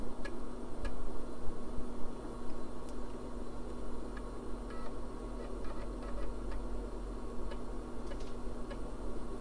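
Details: IBM 386 (80386) computer reading a floppy boot disk during a Windows 98 install attempt: steady low hum with soft, irregular head-step ticks; normal floppy drive read.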